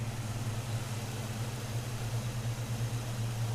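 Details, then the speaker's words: 1983 Chevy pickup converted from carburetor to throttle body fuel injection, restarted after 30 seconds off: revs up then settles to a steady low, even V8 idle as the IAC position is learned. Normal idle. "It worked. So you can see on the tack, as you heard, the motor did rev up and now it's coming back down just like it's supposed to do."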